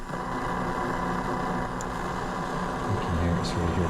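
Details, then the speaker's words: Ham radio shack speaker amplifier fed from a computer, where ferrite beads and coils did not fix it: a steady low buzz under a faint hash that changes as apps are moved on screen. Ground loop hum sourced from the computer. "here's the problem I ran into with the uh amplifier I don't know if you can hear that but as soon as I get up an amplitude noise I hate noise and it looks like it the source is the computer"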